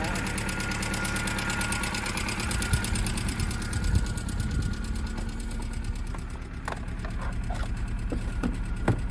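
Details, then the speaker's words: Budget Hyundai race car that sat a long time, idling after startup: low, lumpy idle with stumbles; flashing check-engine light, scan shows cylinder 2 and 3 misfires and low catalyst efficiency; stale fuel suspected, cat possibly blocked. "you can see here cylinder 3 and a cylinder 2 misfire so this is probably because it's got crap fuel in it"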